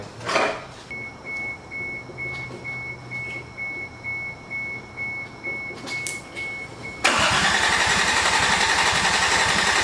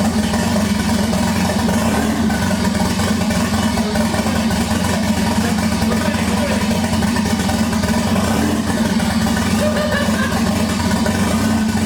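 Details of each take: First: 1988 MK3 Supra with swapped 1JZ-GTE VVTi, start attempt with fuel pump jumped: starter churns in slow even pulses with a high whine for several seconds, no catch, then a roar as it tries to fire. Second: 1988 Toyota Supra (MK3) with swapped 1JZ-GTE VVTi six-cylinder, first start after a fuel pump issue was fixed: fires and settles into a steady, even idle with a smooth low hum, no misses or knocks; normal running.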